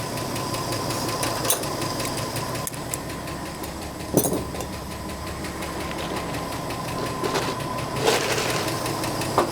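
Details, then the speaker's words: 1984 Ford F150 bullnose 4x4 idling warm after a head change: light quick ticking over a smooth idle, keeping time with engine speed. Owner expects the valves need readjusting once everything frees up; the tick persisted after minutes of idling. "Valve sounds great. Probably have to go back and readjust those again too, once everything frees up. Idling pretty smooth though, if you ignore that ticking noise."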